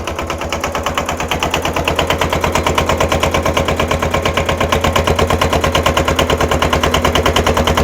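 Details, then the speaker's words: Cold Kubota L210 diesel tractor just started, smoking: chugging with loud uneven popping about three per second as one cylinder tries to kick in; smoke stops once it fires. Misfire. "you can hear that popping that popping is the other uh the other cylinder trying to kick in once it does it'll quit smoking it'll run good"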